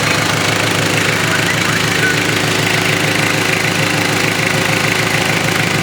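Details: Mitsubishi Triton 4M40 diesel engine after overhaul: even idle with steady regular clatter about three beats a second, no odd knocks. Normal diesel idle.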